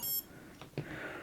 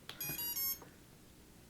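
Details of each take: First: Quad build, 3S LiPo just plugged in, ESC not yet calibrated: short clean electronic beep from the motor, then faint clicks, including an unusual tone; normal ESC startup tones. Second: Quadcopter ESC powering up after its motor was soldered on: two short bursts of high, stepped electronic startup tones separated by quiet, signalling the ESC is not calibrated.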